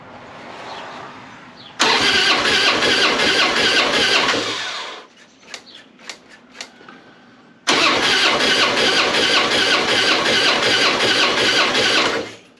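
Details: Harley-Davidson springer compression test while cranking: two runs at about 160 beats a minute with a lopsided rhythm. The front cylinder reads decent compression but the rear reads zero; the owner suspects a bent valve, bad gasket, bent pushrod or piston ring.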